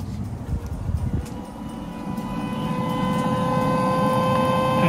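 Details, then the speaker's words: 2014 Audi A8 D4 facelift 3.0 TDI, newly fitted V50 auxiliary coolant pump activated in a test: steady electric hum at constant pitch, no rattle; pump visibly working, replaced faulty pump now operating normally. "can physically see the pump working and you can notice noise"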